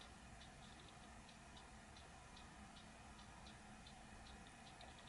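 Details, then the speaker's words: Dell XPS M1530 laptop hard drive clicking steadily about twice a second over a quiet hum during boot, seemingly seeking; suspected damaged drive or corrupted or missing files, unconfirmed. "the hard drive is making a weird noise like it's searching for something so it's either damaged or it's missing files it got corrupted or something like that"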